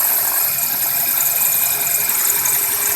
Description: Our 2001 Corolla has this squeak sound on a cold start on damp mornings. A chirping sound is more accurate.